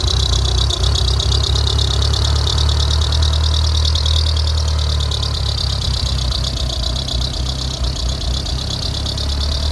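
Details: Mitsubishi 2G engine idling after startup with a constant high pulsing squeal from the timing belt area; belt squeal at idle, cause suspected not confirmed.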